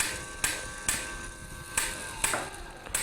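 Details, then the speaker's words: Bullet feeder with the motor speed potentiometer turned all the way up: crisp clicks about twice a second over a light motor hum. This is the collator running normally on an empty drum. "When turned all the way up, you can hear that collator clicking as it's running on an empty drum."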